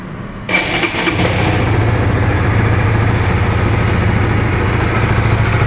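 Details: Honda Supra GTR 150, fuel-injected, nearly 2 years of use: the starter whirs briefly, the engine catches at once and settles into a smooth, even idle with no ticks or knocks. The owner says the injection sounds good; normal start.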